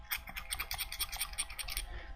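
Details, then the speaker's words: Ultrasabers AEON LE v5 lightsaber hilt shaken: quick bright clicking rattles about five a second from the LED moving loose, as there is no LED retention screw. "can hear that rattling that is the LED there is no LED retention screw so it just shakes around"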